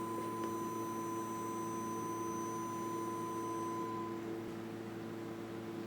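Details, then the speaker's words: Fender 300PS amplifier under repair, powered with a test tone at the input: steady tone with a harsh hum and buzz beneath, not from the speakers, probably the transformer. "you can hear it it sounds rather horrible the speaker down a bit oh that is not the speakers the yikes what is making the sound with the transformed probably let's put it quieter"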